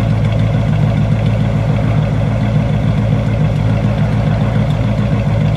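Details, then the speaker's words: Buick V8 idling warm after a cold-weather start, thermostat reopened; right exhaust sounds different from the left: deep, irregular lope with unevenly spaced beats, consistent with a one-bank misfire; uneven exhaust note. "so if you have headphones on you might hear I don't know how the camera picks it up the right sounds a little bit different than the left"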